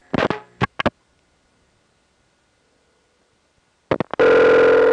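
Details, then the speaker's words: Normal line link pulsing pickup clicks as a step Centrex homed on a No. 5 crossbar sets up a call, heard from NEptune 4 No. 1 crossbar line, Belle Harbor, Queens, 1974 home-phone tape: sharp relay click bursts, then steady tone. "in the rare case where step sent Rex is home Don across par 5 you can hear the line link pulsing arrangement being picked up by some distinct clicks"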